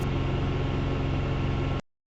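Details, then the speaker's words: Canard experimental aircraft piston engine in flight after ignition maintenance, tested from 1900 to 2760 rpm: smooth, even drone with no rise and fall in revs; surging gone, running clean. "So I did go up and test it at various different RPMs from 1900 all the way up to 2760 RPM. And the answer is no more surging."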